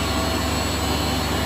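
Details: Refrigerated pneumatic air dryer running after copper leak repaired with coupling, liquid line drier replaced, evacuated, recharged with R134A and condenser cleaned; dew point 32 degrees, 100 psi air in; steady even hiss and hum, faint high tone, no knocks, normal running.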